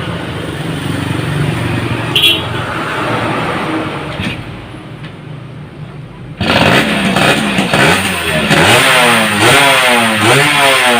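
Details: Yamaha F1ZR two-stroke fitted with a CDI Grand/Supra, started without ignition key: crisp start and quick throttle blips rising and falling cleanly, no stumbling; former kickstart kickback gone, runs normally.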